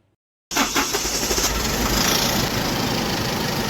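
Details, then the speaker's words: Tata BS6 truck diesel that 2-3 garages could not fix: it fires and idles with a loud, steady hiss of escaping air over the clatter. The cause is a burst turbo pipe, and the sound changes when driven. "Turbo pipe फट गया। जाने के कारण जब हम गाड़ी चलाते हैं मैं रेस में भाग ले रहा हूँ। यह ध्वनि इसमें बदलाव आ रहा है।"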